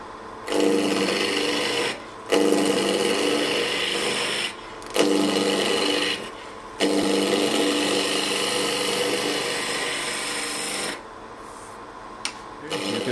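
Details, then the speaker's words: Woodturning spindle work with a gouge, cutting from the high point downhill toward the already-cut void rather than into end grain: an even shearing hiss over several passes with no chatter or catch, a smooth clean cut compared with the rougher earlier pass. "can hear this is now smooth and here it's not so"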